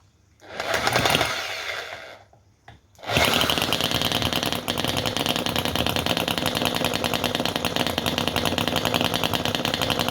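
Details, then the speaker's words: Small Chinese model V-twin engine with float carburetor, choke and throttle being adjusted: fires, dies, then catches into a fast, buzzy, uneven rattle that never settles; owner thinks too much choke. "okay did you hear it starting there I heard it firing"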